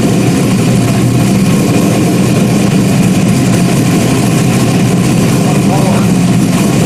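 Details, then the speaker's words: Freshly rebuilt 5.3 V8 race engine first fire-up after almost a year of rebuilding, slight spray and drip seen; loud, deep, steady idle with an even beat and nice tone, no tapping or misfire; normal idle. "it does smell good am she sounds good has a nice tone to it"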